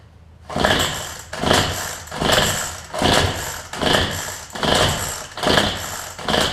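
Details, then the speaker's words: Cheap weedeater pull-started seven times, each a brief rasping whirr that never catches; no spark seen, plug an issue, hoped to be only the plug. "you see where it tries to start a couple of times but ya don't seem your spark come out of it see we know at least the plug is an issue and we hope it is only the plug"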